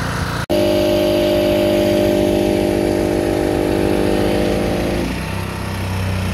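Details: Old $20 generator, running after the fuel filter was removed and fuel squirted in: a small single-cylinder engine chugging at a steady, even beat, then easing off smoothly; running normally.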